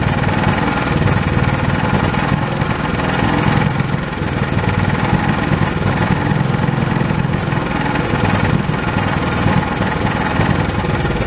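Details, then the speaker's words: Old Honda small single-cylinder pull-start engine, sat for years and not getting fuel, now repaired and reassembled with throttle reconnected: even steady chugging at constant speed, no misses or knocks; normal running. "well now that this engines running I can finally put it to use"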